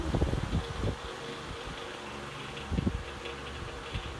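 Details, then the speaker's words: As-found vintage fan (Marvin twin window fan, possibly 1960s, or 1990s Patton High Velocity) on medium speed on a cold porch below 50°F: steady hum with occasional loose rattling bursts from play in the motor. "Rattles a little bit on medium. There's a little play in the motor."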